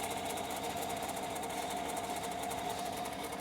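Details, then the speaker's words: 2016 Chevy Tahoe 5.3L with code P0128, held near 3,000 rpm during a thermostat test: a steady mid-pitched squeal over the engine hum, thought to come from a pulley. The belt is slipping from coolant contamination. "Yeah, the noise I'm hearing under the hood, this noise could be coming from one of the pulleys."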